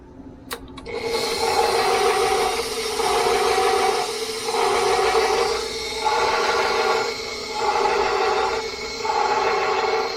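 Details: KitchenAid stand mixer running for the first time after being reassembled during repair: loud steady motor whir with a smooth high-pitched hum, swelling and easing about every 1.5 seconds; spinning fast, "sounds like an aircraft"; motor running properly.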